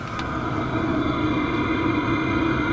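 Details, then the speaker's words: Chinese diesel heater running on a used-oil fuel blend, just after starting, with no smoke seen. Steady, even burner and fan roar with no stumbling or surging: normal running. "I'm not seeing any smoke or anything like that. It started up just fine."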